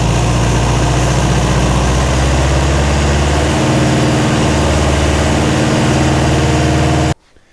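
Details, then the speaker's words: Lotus Seven replica with Toyota 20R/22R engine after fitting 3-wire GM 10SI/12SI alternator: fires and settles into firm even idle with steady deep rumble, no misses; runs healthy. "All right, looks like it works."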